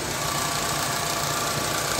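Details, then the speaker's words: Hyundai Avega idling, heard at the front pulley end: once the AC compressor clutch engages, a coarse, rough growl appears, gone with AC off; cause is a worn, noisy AC compressor. "Nah itu lihat teman-teman jadi suaranya kasar ya Nah jadi gitu temen-temen mobil ini tuh masalahnya di situ ya setiap kali AC kita on suara kasar akan muncul"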